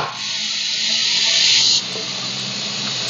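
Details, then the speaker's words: Hermetic refrigeration motor used as air compressor with low-pressure 80–120 psi piston-compressor pressure switch: constant loud hiss while running; motor's weak airflow can't close the pressure switch relief valve, causing constant leak. "Então quando eu ligo o compressor, ele gera um ar muito fraco, ele não consegue fechar essa válvula. Por isso fica com esse vazamento constante."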